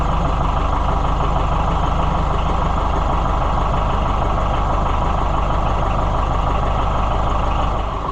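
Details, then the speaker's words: Oliver 550 tractor diesel on a test run after the injection pump was reinstalled: a steady, even idle chug with no knocks, misses or hunting; it runs sweet and healthy. "Boy, it's runs sweet. I just can't get over that."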